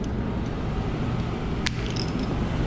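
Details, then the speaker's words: Island Aire/Amana PTAC unit after its faulty 24V transformer was replaced. Compressor and fan run with a steady, even low hum and no rattles or grinding; the unit is cooling normally again. "but regardless we got this unit going now and cooling let's check temperature"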